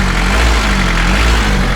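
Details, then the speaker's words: Mitsubishi L300 diesel that had hard starting, heavy pull and thick white exhaust smoke, after timing belt and injection pump timing adjustment; restarted, steady smooth low idle rumble with no misses or knocks, no smoke. "asap juga nggak ada. Itu penyelesaiannya kawan."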